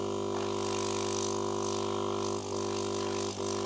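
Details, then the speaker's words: Cheap Chinese air compressor fitted as air assist for a K40 laser, first switch-on: steady, deep droning hum, didgeridoo-like, with no rattles. Runs normally and works better than expected. "one sounds like a didgeridoo okay hey that works better than expected"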